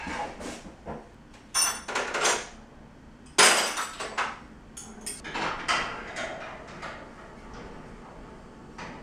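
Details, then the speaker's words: Garage door, already lubricated, has shifted toward the right so the bottom cable hits the track: sharp irregular metallic bangs and clatters as the door travels. "it's slowly shifting more towards right-hand side that's why that takes point bang bang bang over here because the cord that connects to the bottom is actually hitting over here"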